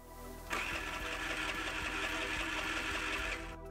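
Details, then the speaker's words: 4-stroke scooter, ignition pickup under the fan cover misaligned (possibly after alternator replacement) with about a 4 mm gap to the flywheel; starter whirs steadily about four beats a second for three seconds, engine never fires; no spark, fixed by closing the gap to about 2 mm. "the gap between the pickup and the plate of the flywheel is about 4 mm and this Gap is already too large so no spark can be generated here"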